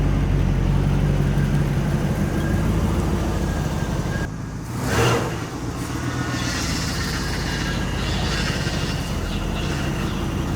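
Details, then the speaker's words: 1984 Monte Carlo SS carbureted small block, sat 22 years, idling after vacuum leaks from 40-year-old rotted smog vacuum hoses were found and capped: a steady, even low rumble with one brief whoosh midway, running smoothly without stumbling. "just been finding vacuum leaks old rotted hoses capping them off we got it running pretty good"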